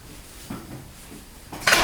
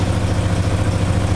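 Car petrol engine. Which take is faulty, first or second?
first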